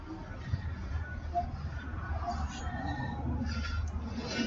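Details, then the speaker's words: Lawn mower blade shaft turned slowly by hand with the engine off gives short thin squeaks; the shaft looks straight. "the shaft looks pretty straight I mean it's not that other than squeaky or that is you can hear that squeak"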